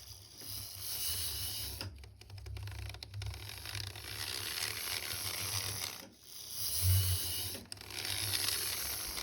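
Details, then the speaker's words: Tri-ang Hornby Hymek class 35 model locomotive motor bogie running forward without armature bearings, left out by a previous repairer: harsh buzzing rattle from excessive armature end play against the worm gear; fixed by fitting bearings. "so you could hear there when that motor bogey was going forwards just how noisy it was without the bearings"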